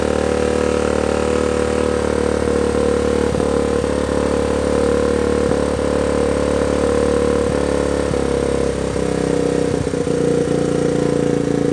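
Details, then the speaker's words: 1979 Honda Trail 90 single-cylinder, first start after carburetor work and fixing the carb needle, still cold: settles into an even, steady idle with constant pitch, no stumbles or hunting; runs cleanly, normal idle. "Idling, so that's good. I'm gonna let the bike idle for a little bit."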